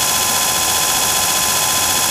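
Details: Antique Allis-Chalmers 10 HP electric motor after shaft keyway repair and new bushings, first start on 110 volt with capacitor bank: steady, even hum with constant whine, no rubbing, knocking or grinding; normal running.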